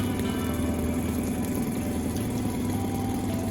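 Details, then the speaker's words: Suzuki 9.9hp outboard idling with slightly uneven beat and faint stumble: misfire from Techron Marine fuel stabilizer (half ounce in 5 gallons) gunking spark plugs, worsened by idle trolling; improving on clean fuel, later fixed with clean fuel and clean plugs. "But I think what made it worse, it was just, I was just doing idle speed, trolling most of the time. So that stuff didn't get enough heat to burn all that lubricant."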